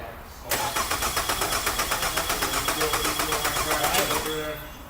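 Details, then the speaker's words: 2003 Nissan Altima, battery on charger after being dead, cranking during a negative-side battery cable volt drop test; steady even cranking about four beats a second, no dragging or clicking; about 303 mV, slightly high but nothing to worry about. "So that was reading about 300 millivolts, 303. This is getting a little hot on the high side, but it's still nothing to worry about."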